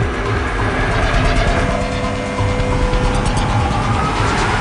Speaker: since people speech policy it sounds noisy so maybe we should put on the stop line we hear the cavitation